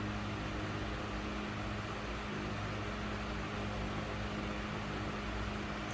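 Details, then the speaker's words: Emerson 77646 vintage electric desk fan (collection from 1938 to 1955) running normally on high speed: steady even hum with low mains tone and smooth rushing air, moving quite a bit of air; runs cleanly. "Lastly, high speed. Moves quite a bit of air."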